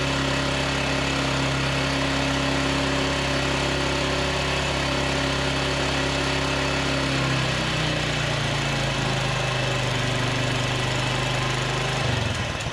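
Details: Polaris 300 Sportsman quad after engine rebuild, first start with the cleaned muffler refitted (soaked in a sonic cleaner). Small single running smooth with a steady drone, pitch shifting slightly near the end. Smoky from cleaning residue, but breathing freely; healthy idle.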